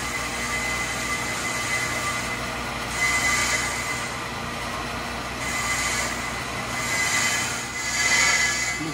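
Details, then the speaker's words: Accu-Turn 8922 brake lathe machining a car's brake rotor during a brake job: a high, scratchy squeal swells louder every couple of seconds as the bit is fed in. The feed should be slowed as it gets louder to avoid burning anything up. "all right it's starting to get louder so you go a little slower the louder it gets so we don't end up burning up the fish"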